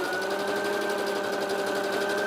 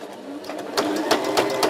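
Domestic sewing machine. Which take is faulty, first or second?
second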